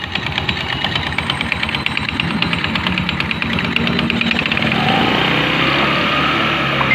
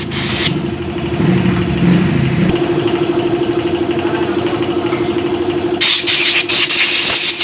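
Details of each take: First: Rusi Fashion 125 scooter noisy from the CVT side on first start: quick, uneven slapping and ticking at about three a second over idle from a slack, worn drive belt; replacing the belt should remove the noise. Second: Rusi Fashion 125 scooter: engine catches and settles into a steady idle with an even hum and no belt flapping or rubbing.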